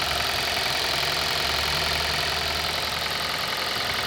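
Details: 2018 Kia Rio at idle: fast, fairly even tapping beneath engine note, roughly a couple of knocks per second; engine knock present, cause unclear.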